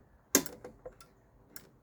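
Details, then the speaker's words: Jaguar XJS V12 with 3-speed TH400 automatic: at full throttle, pushing the pedal further into the carpet moves the throttle cable and actuates the kickdown micro switch, giving one crisp click then faint ticks in a quiet car; kickdown switch working normally. "Can you hear that clicking? So that is how the kickdown works."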